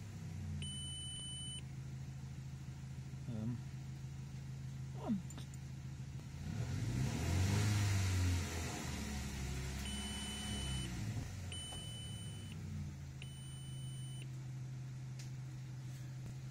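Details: Audi A4 idling and briefly revved toward 2000 rpm: repeated one-second oil pressure warning chimes; diagnostics show no fault codes, tachometer reads revs, suspected broken wiring or alternator problem, unconfirmed.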